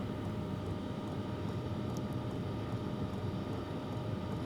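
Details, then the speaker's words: Sunster TB10 diesel heater, new out of the box, before turning up to level eight: steady even whoosh of the blower with a low rumble, no fuel pump noise, knocks, rattles or surging; normal running. "this right out of the box is super quiet like I said all I can hear really is the blower this is absolutely incredible"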